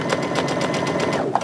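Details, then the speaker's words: Sewing machine, top thread tension turned all the way up: fast, even stitching chatter about eight beats a second with a harsh, strained edge; excessive top tension pulling bobbin thread through to the top. "doesn't sound very good so something you know something is going on i always i always say listen to your machine bond with it and listen to it it'll tell you when something is not right"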